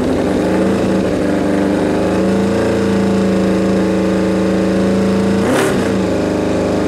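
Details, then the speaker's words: Suzuki Bandit 1200 at its first start after a rebuild, on full choke with the idle raised from very low: a steady fast choke idle that briefly stumbles near the end. The owner says the carbs are out of whack and not yet synced. "all right so yeah she fired up something's going on with my gauges to sink the carbs uh i've messed with that"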